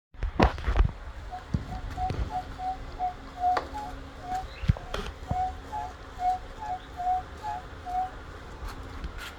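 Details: Segway MAX G2 scooter: short, high chirping squeaks repeat about twice a second as the front suspension is pumped; front suspension squeak.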